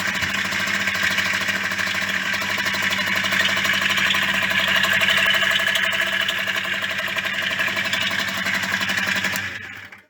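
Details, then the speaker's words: Yamaha DT50MX two-stroke after a rebuild using non-Koyo bearings: a steady idle with a busy, tinny rattle on top, too rattly to ride. Worn bearings are suspected but unconfirmed, and a rebuild with Koyo bearings is planned. "Okay, well, she starts alright, she runs alright, but she's just, sounds like there's something wrong with the engine."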